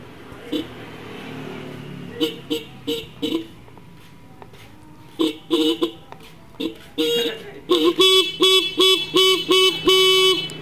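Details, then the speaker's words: Horn that was dead or weak, after turning its adjusting screw left on battery power: repeated short honks, later ones clear, loud and steady; normal horn. "suaranya semakin keras ya dan nanti kalau belum suaranya Normal teman-teman itu bisa putar lagi ya bisa putar lagi bautnya sampai benar-benar suaranya itu normal kembali ya"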